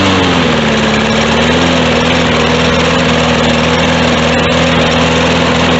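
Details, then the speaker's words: Lawn mower with 150cc Briggs & Stratton engine and a three-week-old but very dirty air filter: loud, slightly wavering, uneven running instead of a crisp idle; judged to need a carburetor cleaning. "all right guys so it definitely sounds to me like it needs a carb cleaning"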